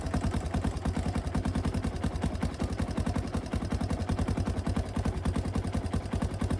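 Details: 1991 Honda TRX250X single-cylinder ATV, kick-started after a fuel-leak repair (leak suspected at the petcock): a steady, quick single-cylinder thump at about three and a half beats a second, even and clean with no misses, a normal idle.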